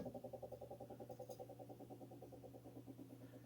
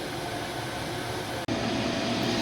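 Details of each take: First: Lennox furnace (installed 2007) inducer/exhaust vent motor: steady hum with rhythmic whirring pulse about three times a second, fading as it slows; subtle noise when spun by hand, very loud at full speed; worn motor being replaced. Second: Replaced inducer/exhaust vent motor on a 2007 Lennox furnace (12W47) running a few minutes with quiet steady airflow hum, no rattle, squeal or bearing growl; normal operation after replacement.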